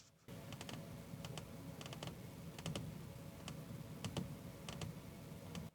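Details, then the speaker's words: Cruise ship cabin door that doesn't close and latch fully: clusters of light metallic ticks about every half second over low ship hum, rattling all night; door rattle from unlatched door. "This door does not close and lock all the way. And it like rattles."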